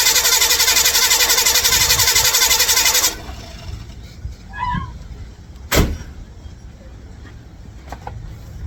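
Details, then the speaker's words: 1955 Chevrolet Bel Air with ignition, electrical and fuel-delivery problems (ignition bypassed to start): starter spins briskly about four beats a second for three seconds, never catches, then silence; no gas reaching the carburetor, switch still good. Crank no start, fuel starvation. "wonder if it's getting gas something's going on unbelievable he's getting any gas maybe that's why it's not turning"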